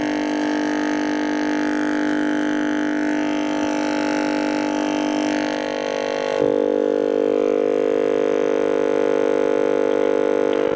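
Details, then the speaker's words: Shaftesbury Japanese-made midget valve (tube) radio: steady droning hum with a whistle shifting as the dial is tuned; a failing dual smoothing capacitor in one can lets ripple through, to be replaced. "as you can hear is trying to bring stations in but because of the the uh the capacitor failing it's um allowing Ripple to get through and uh causing quite a bit of noise"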